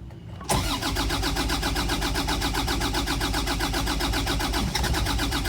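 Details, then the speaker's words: Boat diesel after fixing an air leak in the fuel line and bleeding the fuel system: it cranks briefly, catches and settles into an even, steady idle with a clean beat, then ran over 20 minutes without a hiccup. Normal start. "good exhaust so it ran for over 20 minutes without a hiccup of any type i'm very happy about that"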